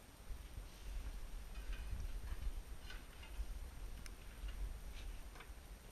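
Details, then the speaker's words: Pellet stove blower motor refitted with a new gasket, plugged in to test: low, steady whir with no grinding or squeal. Normal blower operation. "she's working so like I said we're gonna plug it back back in and give it a try"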